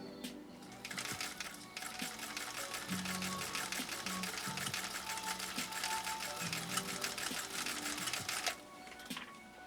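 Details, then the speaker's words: Singer Featherweight 222K sewing machine (Scotland-built, 1953–61) sewing six layers of commercial upholstery material: rapid steady needle clatter with the motor humming under strain, no stall or thread break. Normal sewing under heavy load. "hear you can hear Bandit working man you can hear him working he's saying okay that was tougher than I thought that was tougher than I thought but I made it"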